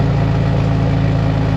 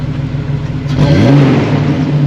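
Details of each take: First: 2006 Jeep Wrangler TJ 4.0L, heard from outside before a cat-back exhaust replacement: steady low idle with a rough, puffing note as exhaust blows out through a hole in the exhaust; exhaust leak. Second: 2006 Jeep Wrangler TJ 4.0L with a newly installed Flowmaster cat-back exhaust: a mild rumble at idle, then two clean revs rise and fall smoothly with no rattles or leaks; normal revving.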